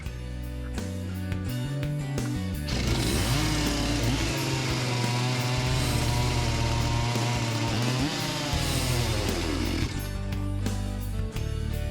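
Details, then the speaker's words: Farmertec MS361 knock-off two-stroke chainsaw after second top-end rebuild, not yet broken in: runs steady and responsive with clean, even firing and no stumbling; carburetor still needs tuning but the earlier fault is cleared. "that seems to have cleared up so thesis confirmed this was causing my problems new one's behaving much nicer"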